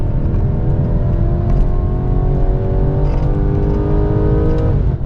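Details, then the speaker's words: 2017 BMW F22 230i revved all the way to 7,000 RPM: smooth engine note climbing steadily to high revs then easing off, clean even pull, no knocks; healthy engine. "engine sounds really good. Listen to that."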